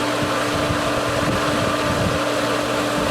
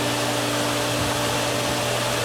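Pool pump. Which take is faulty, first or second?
first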